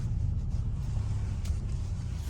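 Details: 2009 Nissan Rogue after left front wheel bearing hub replacement, driving: smooth low road rumble without speed-rising growl; bearing noise gone, though traction control light sometimes appears since an alignment.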